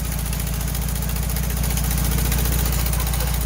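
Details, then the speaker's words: 1968 VW Bus camper, air-cooled engine, first start after years of storage and a rear engine fire, following new wiring, spark plugs, points and condenser: even, steady low chuff about three beats a second, no stumbles or knocks; idling nicely on first try. "dude it's idling nicely"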